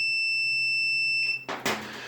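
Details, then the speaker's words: Multimeter on audible continuity/ohms with the probes touched together, while diagnosing a dryer that won't start. A continuous high beep lasts over a second, showing a complete circuit with no open. "that's a complete circuit so there's no open um in that circuit"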